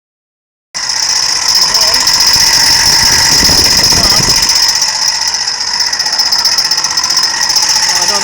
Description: It seems tobe the fan